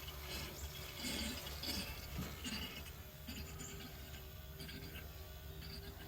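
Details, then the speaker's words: 1964 Chevy Bel Air with the key on: soft trickling, gurgling hiss over a buzzing electric fuel pump, as fuel flows through the inline filter and fills the carburetor float bowl normally. "Well, a few wraps with the old wrench there, and she's flowing there. It's getting up here. I believe it's filling up the bowl. That's what it sounds like."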